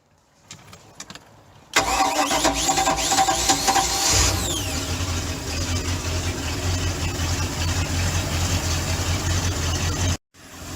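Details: Bayliner boat GM 5.7 Marine V8 after starter trouble, started for winterizing with antifreeze fed through the outdrive; brief quick crank, catches immediately and settles into steady even idle. Normal start and idle.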